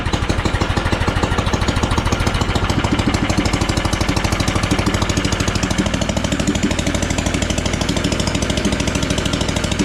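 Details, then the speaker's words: Engine swapped into a John Deere AMT600, open exhaust with no muffler, restarted after draining the carb bowl following flooding: uneven lumpy thumping about three beats per second; running rough, cause unconfirmed. "Heat. Yeah, we got to do something about that exhaust. It's not happy."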